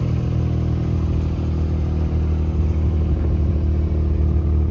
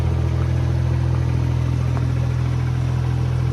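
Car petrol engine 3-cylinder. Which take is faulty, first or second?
first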